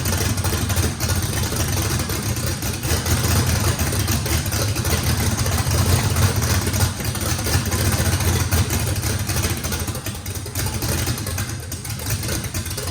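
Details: First start of a race engine with a radical camshaft, likely big overlap and lobe separation, needing a lot of throttle: uneven, choppy V8 idle loping about three times a second with deep rumble; normal big-cam lope, throttle response good.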